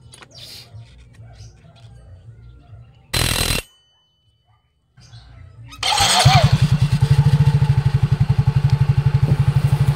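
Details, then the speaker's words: Scooter after replacing the torque drive assembly: after start, a steady, even idle pulse of about four per second with no whine or rattle; the CVT knock is gone. "So ayan mga sir, sa point na ito, wala na po yung ingay. Kasi binila na natin ng torque drive assembly."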